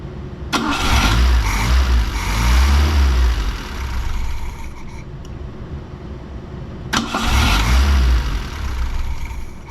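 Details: Fiat 124 Spider 2000 running on the old partially working ignition coil, carb unadjusted: uneven lumpy idle surging and sagging with stumbles and pops; this coil prevented idle below 1100 rpm and caused backfire through carb.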